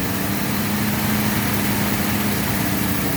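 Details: 1948 Chevy, 55 years off the road, restarted and now pulling its own fuel: a steady, even idle with a constant low hum and no knocks or misses; it runs smoothly.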